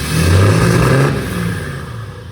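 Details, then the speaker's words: 2018 Ram 3500 6.7L Cummins diesel just deleted (DPF, DEF, catalytic converter removed), straight-pipe exhaust: loud deep rev climbing and falling smoothly, no misses or exhaust ticking; normal revving. "Well, we got ourselves a diesel, boys. Okay, good. All right, straight pipe Gen 4 deleted."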